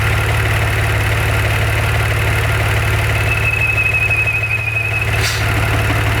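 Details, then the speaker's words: 2014 Maserati Ghibli SQ4 at idle: thin high howl starting a couple of seconds after startup; goes away when the dipstick is pulled and returns when it is replaced. Fixed by replacing the oil vapor recirculation system (blow-by breather pipe assembly). "So note, it doesn't start making the noise right away. Only after the engine's been running for, say, a couple seconds. Pulling the dipstick to it. When I pull the dipstick, the sound goes away."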